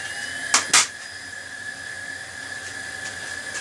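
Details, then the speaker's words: Late-1990s Compaq Deskpro desktop at power-on, side cover on: a couple of handling clicks, then a steady high whine from a noisy cooling fan; fan likely needs replacing, oiling the bearing suggested as an alternative. "that rare case Fan's going to need changing cuz that sounds God awful"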